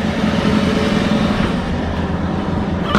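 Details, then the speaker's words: 1977 Lincoln Continental Town Coupe V8, first start after sitting, with a fuel leak the owner thinks was an overfill: deep, steady idle burble with an even low rumble and no knocks or misses, running smooth and happy. "what a great car what a wonderful car listen to it it's so happy it's a happy car"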